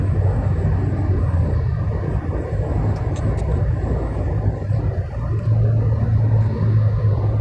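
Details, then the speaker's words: Toyota Voxy on the toll road at 100–120 km/h: heavy road drone in the cabin with an intermittent whistling hum that swells and fades; later traced to seemingly the front-left area. "Ya, kami mendengar suara itu tadi, suara siulan atau dengungan. Suaranya terputus-putus, tidak terus menerus, hanya muncul"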